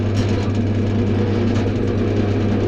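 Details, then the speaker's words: New Clarke CWL1000CF variable-speed wood lathe (no belt changes) switched on at its slowest speed: smooth, steady low hum with no knocking, grinding or wavering; normal running. "So turn it on. That's when it's slowest point."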